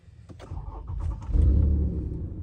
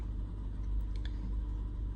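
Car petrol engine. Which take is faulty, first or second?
first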